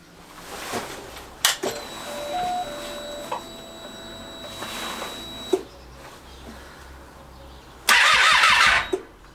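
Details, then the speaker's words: 2012 Triumph Street Triple 675R non-starter, no coolant: thin fuel-pump whine, then one harsh starter burst of about a second that abruptly quits. Starter cuts out after a couple of turns. "Now let's do that thing where the starter stops after a couple of turns again."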